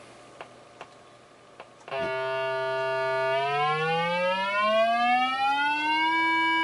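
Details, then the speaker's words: 1950 GEC BC5243 Bakelite valve radio: an AF generator signal is injected at the audio output valve base to test the output transformer. It gives a clean, steady tone sweeping in pitch without crackle or distortion. The output stage is working normally. "So I've got my trusty AF generator there, or RC oscillator. We're gonna connect the signal up there."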